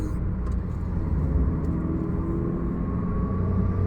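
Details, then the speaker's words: Chevrolet Aveo on test drive after cleaning the O2 sensor: smooth even engine note pulling cleanly under throttle, no stumble, misfire or hesitation; O2 sensor problem solved, running perfectly. "இப்போ பக்கா work பண்ணுது. நம்ம அந்த சென்சாரை கம்ப்ளீட்டாக clean பண்ணி போட்டதுக்கப்புறம் O2 sensor problem solve ஆகிடுச்சு."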